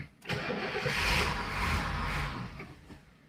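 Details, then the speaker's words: First start in 30 years: uneven cranking with no firing after it ran briefly; the carburetor is out of fuel and the fuel pump has not drawn fuel from the tank. "i pump a fuel already hmm you think that fuel pump would have brought fuel up from the engine for the fuel tank by now you also wouldn't think i've gone through 30 ccs of fuel yep it is out of fuel"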